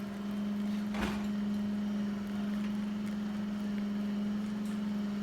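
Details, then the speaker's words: Vesuvius espresso machine after leak repair, pulling a shot: steady low hum from variable-speed pump with slight pitch dip as speed changes, no leaks under pressure; normal pump operation. "you can hear the pump changing speed on this one is one of the few espresso machines out there that actually has where the pump is a variable-speed pump"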